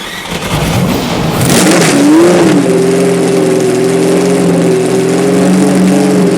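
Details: 1970 Porsche 917 K race car, both master switches on, standard battery assisted by jump battery, brake cleaner sprayed in intake: starter churns about a second and a half, then catches cleanly into a steady, even idle; healthy start.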